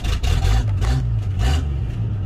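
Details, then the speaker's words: Toyota Land Cruiser FJ60 beach vehicle, first start attempt: deep low six-cylinder rumble catches and swells into a few revs then settles; it starts and sounds healthy. "it does start and it sounds healthy too wow she does start"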